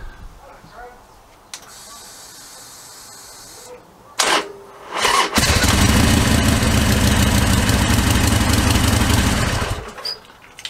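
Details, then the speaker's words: Harley-Davidson Sportster XL1200R cold start on fully charged battery (Optimate), just after adding ZX1 Extralube: starter bursts twice, hesitant stumbling firing, then thumping idle; usual stutter, absent with jump leads, cause undetermined. "So that's the sort of stuttering that it has when it's, it doesn't do that if I put the jump leads on it."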